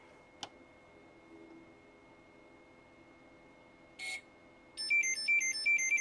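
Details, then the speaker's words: Hobbywing XRotor X6 Plus DroneCAN motor on a hexacopter bench prototype: a faint click, a short chirp, then a quick rising melody of clean beeps as the Pixhawk flight controller reboots after the motor's CAN parameters are written; normal reboot chime. "You can hear the chime as it reboots."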